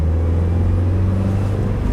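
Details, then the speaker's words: 2015 Subaru WRX with newly installed Michelin Pilot Sport 4S tires, replacing Pilot Super Sports that were cupped from improper alignment (alignment still pending), cruising at 45 on a smooth road: low steady rumble with no tread hum or roar; quiet. "So this is one of those roads where it's really smooth and you can really hear the tire tread fire. But now, cruising at 45, it is dead silent, which is the way it should be."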